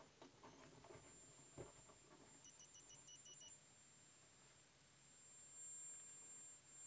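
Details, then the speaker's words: Panasonic TC-381G TV powered up on a variac with the lamp limiter removed: a thin, steady high whistle over faint clicks; the power supply is straining, with the fault found in the line output stage. "Oh. Strong whistle. Doesn't sound very happy at that."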